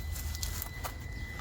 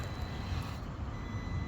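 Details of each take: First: Traxxas TRX4M RC crawler after budget upgrades, thin steady high ESC whine while creeping at low throttle on rocks; poor slow-speed control, owner suspects fitting bearings would help. Cause not confirmed. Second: Stock Traxxas TRX4M Defender with budget upgrades (Injora tyres, brass wheels, caster blocks, drive shafts) climbing rocks. Steady motor whine with light gear hum, no clicks, knocks or grinding. Normal motor noise under load; the drivetrain is healthy.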